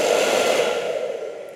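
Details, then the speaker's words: Hair dryer after repair of no-speed, weak-heat and burning-smell faults by disassembly and dust cleaning: smooth, even airy rush with steady mid hum, no rattle or scrape, working at both settings and every combination. "Selesai, tahap pertama sudah siap, tahap kedua berfungsi, berfungsi di setiap kombinasi, tidak ada masalah"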